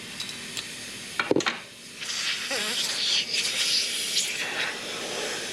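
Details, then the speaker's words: Mitsubishi Evo with AGT Red engine swap, boost leak test: sharp airy hiss swelling and fading in waves as air escapes past the intercooler pipe clamp; boost leak, clamp to be repositioned. "okay see if that one works now this guy's leaking right there so I'm going to throw this guy back on see if I can reposition it into a better um well I guess position or make the clamp a little bit cleaner"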